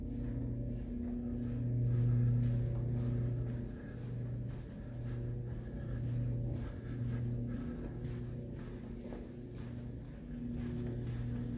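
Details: Hampton Inn hotel light fixtures give a steady low electrical hum that swells and eases but never stops, filling halls and rooms; front desk calls it "Hampton standard." Light fixture hum.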